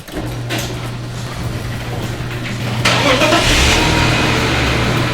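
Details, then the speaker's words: BMW E46 started after repair work was finished: quick crank catches cleanly, revs rise briefly and settle into a smooth even run with no knocks or misses; sounds brand new, a healthy start. "Sounds brand new. It works."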